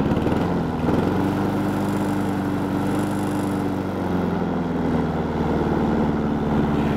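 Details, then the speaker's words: Honda Harmony 215 small single-cylinder engine, warm, after third carb cleaning (idle mixture screw broken, port uncleaned): even, steady idle with regular firing beat, no stumbling or surging; normal idle. "really smooth and backs up good now. Adjust it. Sounds like he's got his chainsaw running."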